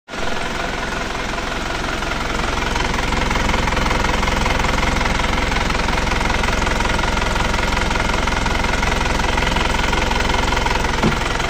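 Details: Panther Touring diesel as it arrived, before repair: loud, rough idle with a steady hard clatter of about two beats a second, heavy and chuffing. Worn engine with diesel blow-by.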